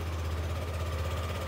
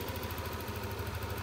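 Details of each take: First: Yamaha NMAX arriving with the engine indicator light staying on; once started it idles fast, a steady low hum held well above normal idle with no dip, so the rpm isn't low enough. A scan is next, with the idle speed control valve under suspicion. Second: Yamaha NMAX scooter after fixing warning light and high idle caused by dirty ISC and throttle setting too high: smooth, even idle with steady low hum, no hunting or stumbling; idle now normal.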